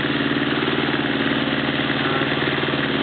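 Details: Honda CB650 motorcycle, warmed up after a carburettor clean and oil change. Faint, uneven tick about three per second riding over the exhaust beat at idle; the owner doesn't know what it is, source not pinned down.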